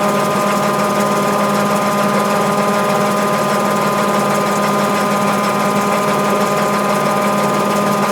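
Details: Mabe 18 kg washer, spin cycle with 110 V applied to thermo-actuator and drain pump throughout: steady, even mechanical hum of constant pitch, no knocks or grinding; normal spin cycle.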